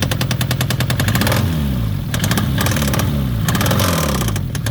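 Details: Citroen ZX 1.9 engine starting and revving, sharp rapid ticking clatter rising and falling with revs; engine knock of unknown origin.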